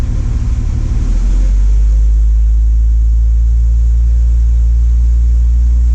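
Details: Warm carbureted engine idling after timing reset to 4° before TDC, vacuum gauge reading 18: deep even rumble after a brief rev, no tapping or knock despite prior knocking complaint and coolant found in oil; normal idle.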